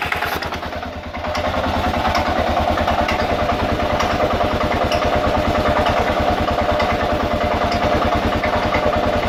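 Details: 2000 Kawasaki KLR650 single, about 41,000–45,000 miles, clutch plates replaced about 1,000 miles ago, doohickey reportedly done, started 15–30 minutes earlier: fast regular clacking about three per second with a grinding edge at idle, cause unknown.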